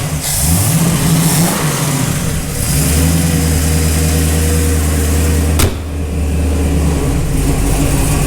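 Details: Big-block Chevy 468 V8 in a Camaro, after clearing a fuel delivery problem from tank to pump that made it quit: deep rumble climbing and settling through clean revs, no misses or knocks; sounds healthy.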